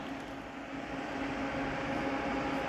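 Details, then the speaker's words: Onkyo M5060R/P3060R amplifier under restoration, with added automatic fan control and two computer-sized fans at the back that switch on with a blue glow about 8.5 minutes after a room-temperature start. There is a soft steady whoosh and an even hum, with no rubbing or clicking. The fans are operating normally. "Oh, that's the automatic fan controls. And there's two huge fans at the back. The computer-sized fans. You may be able to hear them running."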